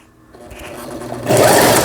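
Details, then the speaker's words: Toyota EC164K sewing machine after repair of a jammed centre gear/cam block unit that had stalled the motor and was readjusted: spins up via pedal from quiet to a smooth even whir, no knocking or catching; normal running. "이렇게 지금 현재 전체적으로 조정을 한 결과 아주 부드럽게 쉽게 페달을 밟았을 때 부드럽게 회전이 되고 있습니다."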